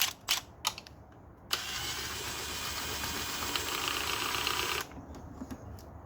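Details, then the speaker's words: Subaru Impreza WRX STI (version 11) alternator, belt removed, pulley spun by hand: a few handling clicks then a hissy, gritty rushing spin for about three seconds; worn, slightly noisy alternator bearings. "if you spin it you can hear the bearings a bit noisy as well"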